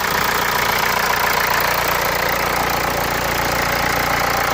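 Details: Hyundai Santa Fe 2.2 CRDi diesel: even clatter at idle, steady ticking rhythm with no misses or surging; engine idling normally.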